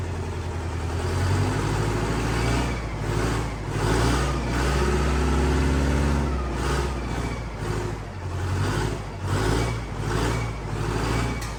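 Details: 8V71 Detroit two-stroke diesel from a bus for a John Deere 5020, first start in a shop at about 11 below after bleeding injectors, rack run by hand: rough, lumpy run with rising and falling revs, no knocks; healthy, 50 psi oil pressure.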